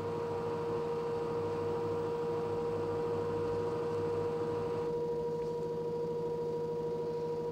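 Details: LG direct drive 6 kg F1058ND5 washing machine with a steady mid-pitched hum and faint rough pulsing throughout. Loud hum while running, owner suspects the pump.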